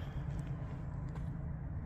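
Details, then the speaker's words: Scion xB engine after Liqui Moly engine flush, oil change and Liqui Moly anti-friction additive, at startup: low smooth idle hum, steady rhythm, no tapping or rattles; motor much quieter than before. "everything seems to be running good the motor is a lot quieter um hopefully that will um protect the motor from all the damage I've done to it"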